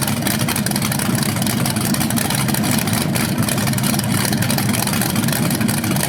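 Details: First run of a BluePrint 396 big-block crate engine on a stand outdoors for a 1970 Camaro SS, with headers, oil primed and timing checked: deep, lumpy but steady idle with no knocks or ticks; sounded good, no leaks.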